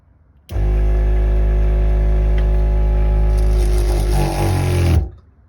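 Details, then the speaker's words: Newly installed 12V 65 PSI water pump in a Sprinter van with touchless faucet, first test: steady low hum about four seconds, note shifting slightly as pressure builds, then stops cleanly; system pressurized, no leaks, working. "Pressurized, and how about that? I don't see any water dripping. Everything seems to be working."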